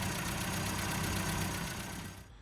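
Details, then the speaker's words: Mini after about three hours of carburettor tuning, lean AAV needle swapped out, leads and plugs fine: smooth, even low idle with no misses or knocks; engine well tuned with a good fueling curve. "so got this one all dialed in engine's running nicely now got a beautiful fueling curve"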